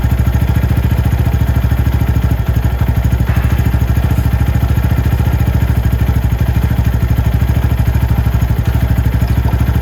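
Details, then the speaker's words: Venom X22R Max 250cc motorcycle at idle, set via the Torx T15 screw above the throttle body: steady, even single-cylinder putter with a smooth low beat and no misses or rattles; idle is right where it should be. "The idle on this bike is perfect. I can turn it up, but I don't really want to."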